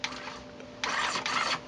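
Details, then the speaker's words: Restored, serviced Tascam 112 cassette deck using its cue function, volume turned up: short bursts of high squeaky chatter as tape is cued past the head, no grinding or dragging, normal cue playback. "this deck has of course a q function so you can find where you're looking at on the tape let me turn this up"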